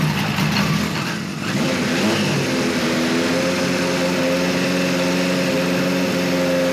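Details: 1973 first-year Kawasaki Z1 900 four-cylinder with fresh oil and filter, on an external fuel supply with the enricher on: it settles from a rev into a slightly wavering, uneven idle, still not running cleanly. Cause not yet confirmed.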